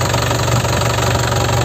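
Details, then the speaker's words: 2012 Isuzu Panther LS turbo manual diesel, about 70,000 km, rarely used; steady even idle clatter with firm low rumble, no misses or odd knocks, no smoke from oil filler; healthy engine. "Ini suaranya benar-benar enak nih loh. Benar-benar renyah gitu ya."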